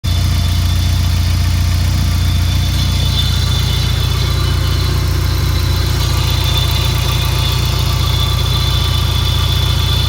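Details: Peugeot 306 GTi-6 engine at idle: loud steady idle with a fast rattle of about four per second and a thin high screech on top; owner asks what the rattly screechy noise is, source unknown.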